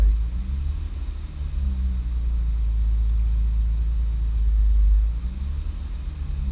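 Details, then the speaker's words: 2006 Honda Accord J30 V6, modified with Hondata FlashPro and nitrous: deep rumble swelling and sagging over seconds, idle surge; owner blames a corrupted tune that happened before, another suspects a vacuum leak. "It's done this before on the fucking tune, man. Like, the tune has been corrupted before and it's fucking done this."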